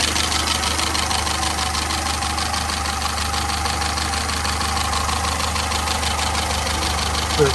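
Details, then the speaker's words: Peugeot 207 Verve farm find, long-sitting, at idle: smooth steady low drone, no tapping or misfire; engine doesn't sound too bad. "as you can hear, it don't sound too bad."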